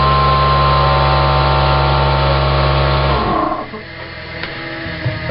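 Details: Small replacement modelling/airbrush compressor running: loud steady motor drone with a quick even pumping beat, then it shuts off; working normally but too noisy for late-night airbrushing, louder than the music playing.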